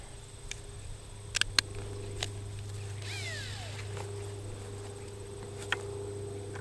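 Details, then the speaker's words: Freshly rebuilt Irvine model glow engine (14x6 prop, 10%/5% nitro fuel) being cranked with a starter. A low drone with a few sharp knocks, never firing. Excess oil after the rebuild means it needs priming, and the owner wonders about the Chinese glow plug. "After a rebuild, when there's a bunch of oil in the engine, it really needs a good prime."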